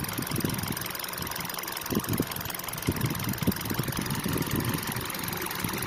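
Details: 2012 Kia/Hyundai with a manual gearbox, just over 100,000 km: a fast, uneven light ticking over a steady idle, the same whether cold or warm. Top-end tick of unknown cause; the owner asks whether it is normal.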